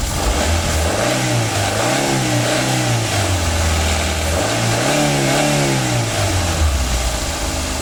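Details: 2009 Daihatsu Gran Max: two clean rev blips rise and fall over an even idle with no whine, squeal or rattle from the belt side; sounds healthy.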